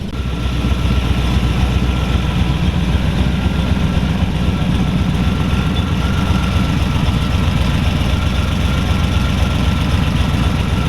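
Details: 1932 Ford Hi-Boy roadster, S.C.O.T.-blown 265 CID flathead V8 (60 over bore, '49 Merc rods, S.C.O.T. 404 cam), run once more; deep, steady rumble with an even pulse around four per second, no knocks or misses; normal idle and revving.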